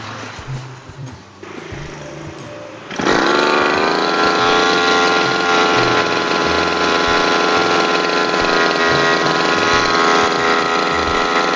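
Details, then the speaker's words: Lawn mower engine after freeing the throttle cable tangled on the flexible cable: still starts straight into a high steady scream with no idle; engine races at high rpm on start, carburetor air screw adjustment next. "nah itu tadi ya sudah saya coba benarkan kabel telur yang terlilit di kabel fleksibel mesin pemotong rumput tetapi saat hidupkan masih langsung ngegas"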